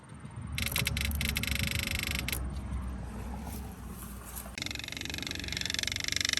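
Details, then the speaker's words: 2004 Buick LeSabre that sat for years: a small electric transfer pump, wired to another car's battery, buzzes with a steady high hiss while pumping bad fuel out of the tank; normal pump operation, slowly clogging its filter. "That's how it's supposed to sound, but we are officially pumping our bad fuel out of the tank slowly."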